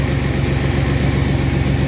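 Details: 1997 Chevy Astro van that sat three years, started easily despite no power to the starter, brake fluid smoking on the exhaust: low, even idle rumble with steady pulse, no knocks or misses; idling smoothly.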